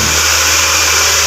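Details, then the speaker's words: Nissan March just after an engine rebuild, started during break-in. A steady, even hiss and hum with no knocks or misses as it settles into a smooth idle. "Coba kita hidupkan teman-teman ya. Nah, sama-sama ya, hidup teman-teman."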